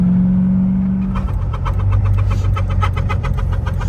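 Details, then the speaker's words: Wrecked Z06 Corvette, manual, being driven out: quick, uneven ticking and clatter, three to four a second, over a rough-running engine, with smells of burning rubber, plastic and sulfur; many noises, source unclear. "This thing is making so many noises."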